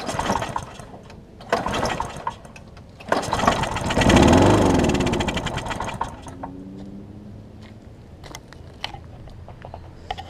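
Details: Husqvarna mower with aluminum deck and transplanted engine, cracked gas tank, gummed carburetor, run on starting spray: pull-start catches, runs rough a couple of seconds, then sputters out; not getting fuel, gummed carb.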